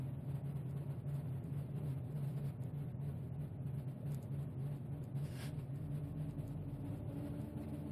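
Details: 2001 BMW X5: a low, steady idle rumble that pulses faintly and unevenly, with no clear knock on top; the engine is running rough, cause unknown. Rough idle.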